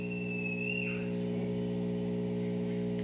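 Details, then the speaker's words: Whirlpool top-load washer with stuck lid and blinking LED, on spin cycle: steady low hum with even overtones and a brief falling whine as the drain pump switches on; drum not yet moving; normal drain pump operation. "there the lati drain pump turned on na is still fixed it has not moved"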